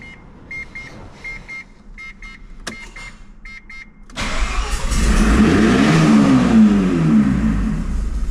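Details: Mazda FD RX-7 rotary, first start after a fuel system overhaul: a few chimes, then brief cranking before it catches and runs up into a busy, steady idle; starts and runs fine.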